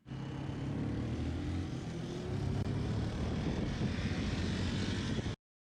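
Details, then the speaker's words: 1985 Suzuki quadrunner ATV on a test ride after chain tensioner repair and a hard start: crisp single-cylinder thump pulling cleanly as revs climb, no stumble or rattle; running strong. "The Yamaha was running amazing and James was having the time of his life."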